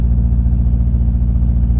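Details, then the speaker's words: Boat diesel at tickover, not under load, engine won't rev up and diesel bug suspected: low thumping burble with slightly uneven beats, missing at idle though charging resumed after revving. Rough idle, misfiring, cause unconfirmed. "but it suddenly started charging no it's missing it's not under load yet a bit better"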